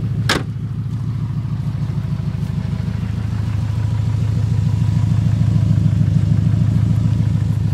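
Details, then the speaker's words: 1996 Subaru Legacy Outback 2.5L just started at idle: loud, deep, raspy putter with an open-pipe note from a worsening exhaust leak. "clearly being a um a smart alec the there's a exhaust leak it's getting worse just came out and started it and it sounded like"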